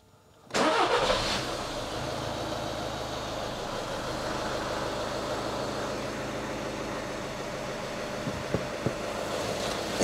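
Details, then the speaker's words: 2011 VW Golf 1.6 TDI diesel, first start after an oil and filter change with about 3.8–3.9 L refilled, left idling without revving: catches within a second into a smooth, even diesel clatter, no knocks or misses; normal. "that sounds pretty good okay so that's been run up the oil's now circulated and filled the filter"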